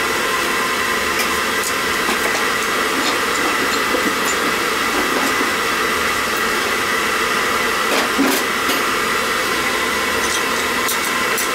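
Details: Riello oil burner on a triple-pass boiler unserviced for five years, which was cycling on and off, after service with a small nozzle: steady, even flame roar with no surging, puffing or cutting out; the burner stays lit.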